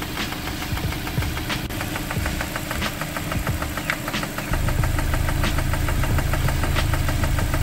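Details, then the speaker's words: Suzuki Ertiga at idle: sharp, regular knocking about three times a second deep inside the engine; worn connecting rod bearing, rod knock. "ayan Meron tayong gawa ertiga Pakinggan niyo May kumakatok sa"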